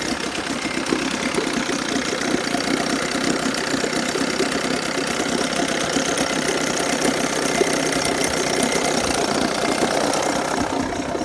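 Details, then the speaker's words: 1980 Chrysler Sea King 15 hp two-stroke outboard, still cold on an engine stand, after its ignition coil was replaced; it previously misfired at quarter to three-quarter throttle. Crisp, even buzz that picks up cleanly under throttle with no stumble. "I think I fixed it. It's really responsive. There's no hesitation. I think this is it."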